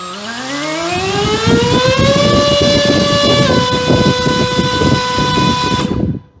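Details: Eachine Mobula 650mm RC plane, brushless motor on 3S, bench-tested after first power-up: whine climbs smoothly to full throttle, holds a clean steady pitch with prop whoosh, then cuts off; motor and ESC run fine.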